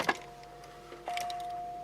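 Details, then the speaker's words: Car stored indoors in cold, snowy weather, first start attempt after long sitting with fresh battery installed: clunk then steady faint electric whine of the fuel pump priming normally at key on; likely won't run as ignition coils were probably taken from it. "I hear the fuel pump working though, so."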